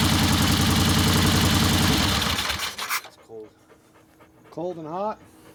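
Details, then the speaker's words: 1964 Harley XL 900 Ironhead Sportster, restarted, custom distributor blamed: lumpy, uneven idle with loud regular pops under three seconds before shutting off; one exhaust pipe still cold, dead cylinder. "okay so that means we're still not running on that cylinder"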